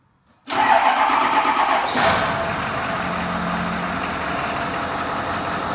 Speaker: sounds good no more grinding it's beautiful